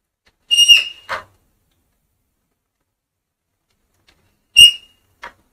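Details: Honda CD 70 motorcycle, nothing else running: two short high whistling squeals as the brake is applied; brake shoe squeal.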